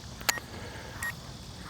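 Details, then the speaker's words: UDI U31W Navigator drone's transmitter giving its LVC low-battery warning: short high-pitched beeps about every 0.7 seconds over quiet background while the drone lands itself. "You get [Music] the beeping there from"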